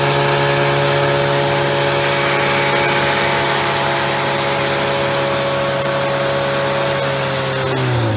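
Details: Freshly rebuilt Triumph Spitfire 1500 on engine stand, head shaved to about 9.5:1, .270 cam, warm at about 190: high smooth steady pitch settling back down, no knocks or rattles; normal revving.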